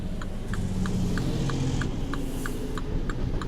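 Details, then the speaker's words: 2016 Mini Cooper 1.5 cabin: a low steady hum with a faint, even tick about three times a second; this is the rear wiper motor running normally, heard because it sits close to the occupants. "weird humming noise you may hear that's the rear wiper and I mean it's real close to you so that's why you can hear it"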